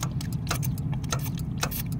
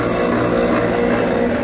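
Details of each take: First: Lennox rooftop unit with no heat and code 66, tested after clearing the pressure switch tubing; sharp clicks every half second over a low hum as the switch opens and closes cleanly; normal pressure switch operation. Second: Lennox rooftop unit with no heat and code 66 (combustion air pressure switch open); steady motor drone with a rough, buzzy hum; inducer running but sounding bad; failing inducer motor.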